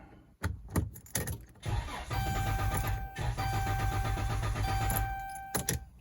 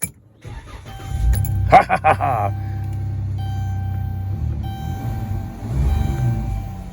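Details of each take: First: 2012 Dodge Caravan after a TIPM key-cycle reset: a warning chime, then about three seconds of steady rhythmic cranking that never catches. TIPM, WIN and fuel pump were replaced before the faulty ECU was found: crank no start. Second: 2012 Dodge Caravan after replacing the ECU, which fixed it (TIPM, WIN and fuel pump also replaced). A brief crank of a few strokes, then a smooth, even idle with no misfire or knock; normal start and idle.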